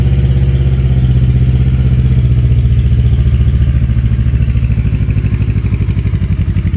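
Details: Kawasaki KLE 650 A7 twin bought at auction, warmed up with choke off: strong, even deep exhaust pulses with no misses or knocks; runs cleanly but very loud through an open exhaust that needs a baffle.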